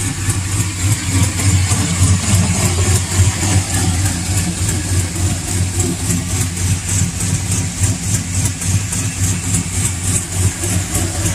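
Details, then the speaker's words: V8 truck with long-tube headers idling, sharp steady tick about three times a second, louder on passenger side, resembling valve train tick; actually an exhaust leak from the paper-like header gaskets supplied with the headers. "that sounds a lot like a valve train tick it's got the same speed as a valve train tick because valtryen takes tends to be slower than like a bottom end knock but this is 100 my fault i made the mistake of installing the header gaskets that came with the long tube headers"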